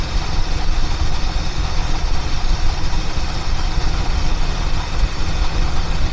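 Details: 1976 Mercury Marquis, revived after a no-spark no-start fault: steady, even low rumble with no stumbling or dips; smooth, stable idle.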